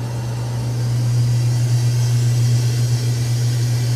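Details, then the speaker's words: Antique Frigidaire W-5 refrigerator just charged, refrigerant flowing: deep steady drone with slight throb as the compressor labours under heavy load, 150 high side and 50 low side, pulling down the whole heavy evaporator; motor may stall. "You can hear now it's got a heavy load on the compressor. $150 on the high side and $50 on the low side. Hope the motor doesn't stall. She's working as hard as she can."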